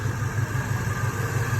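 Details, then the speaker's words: G-body Monte Carlo with LS swap, after replacing faulty fuel pump relay (added protective fuse) that caused crank-no-start; low even V8 idle, smooth regular pulse, no misses or knocks; normal idle after repair. "as soon as I did that I came in here now she's running and that's how I diagnosed my fuel my fuel relay problem now she's running back like a champ"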